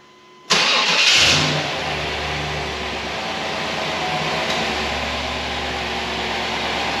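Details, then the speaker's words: 1999 GMC Suburban with intake-to-passenger-head coolant leak, started with serpentine belt removed because a bracket had to be taken off: dry, bare idle with no belt whir, water pump or fan turning; sounds a little weird. "we have the serpentine belt missing cuz we had to take that bracket off over here that's where it's leaking right over here so sound sounds a little weird no water pump running no fan spinning no nothing"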